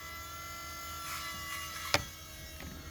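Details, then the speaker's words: Electric power steering pump from a 2007 Volvo C70, fitted to a Coyote engine swap, run before engine start to bleed air from the lines: thin steady buzz with faint high whine and one sharp click. Finding: pump aeration. "got a little air in there that's why i'm turning it on so i could bleed it but yeah that's how it sounds"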